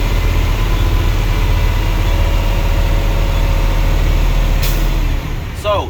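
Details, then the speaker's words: Diesel truck idling during CDL in-cab air brake check, brakes engaged, air pressure built to 120 psi: steady low chug then a sharp short puff as the governor cuts out; normal compressor cut-out. "governor is working good."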